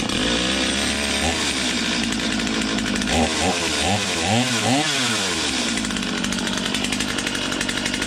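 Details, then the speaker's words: Stihl MS250 chainsaw warming up after new crank bearings and seals. Steady high two-stroke buzz with a few smooth throttle blips and no grinding or rattle beneath, unlike the earlier grind; healthy normal warm-up idle. "Just kind of letting the saw warm up here a little bit."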